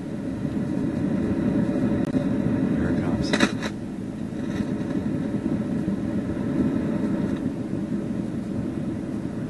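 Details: Newcomb TR-1656-M tube record player amplifier at high volume after warm-up; steady waterfall-like rushing hiss with a few crackles, input selection affects it; tubes being pulled to locate the source, cause suspected, not confirmed.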